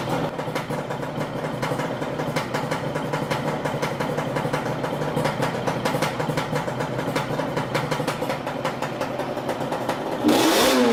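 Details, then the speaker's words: Warm two-stroke twin on a Yamaha Banshee quad misfires only once at operating temperature (80–90°), running with an uneven, stuttering beat and irregular dropouts; new spark plugs didn't cure it, and reeds are to be checked for cracks next. "all right so after all it turns out that the spark plug is not the criminal there is another criminal hidden somewhere here"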